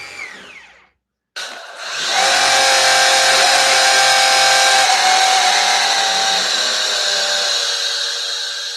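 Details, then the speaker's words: Maxflow DDM pressure washer on 20 amp setting at full dial with 1.1 nozzle, with or without foam cannon bottle: loud steady spray hiss with a clear high whine throughout; unexplained noise, nothing loose, stops when dial turned down about halfway. "Or you run it on the 20 amp, you're going to need to turn the dial down about halfway. That's when that noise stops. I don't know what that noise is."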